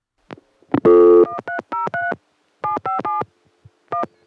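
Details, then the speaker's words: Call to Denver's 757 step office, early-1980s Bell System: dialing tones, then an odd buzzy "Murray Ring" ringback that resembles crossbar 5 ring but differs; the city ring machine was possibly modified or defective, not confirmed. "It has Murray Ring, which if you weren't paying attention might sound like that typical crossbar 5 type ring. But if you listen carefully, it's clearly something else."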